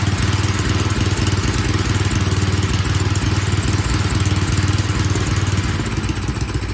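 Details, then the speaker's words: Craftsman snow blower single-cylinder engine after carburetor cleaning, tune-up and draining suspected water-contaminated fuel: steady even idle about four beats a second, no hunting, powering up properly. "as you can hear it is happy now it's idling like it should it's powering up as it should that carburetor just need to be cleaned"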